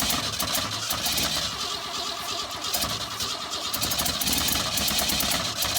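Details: 1962 Ford Falcon inline engine, not run in 25 years, newly fitted carburetor, more gas added: long uneven cranking with a few weak catches, never runs; cranks, no start. Timing later found way off, likely main problem.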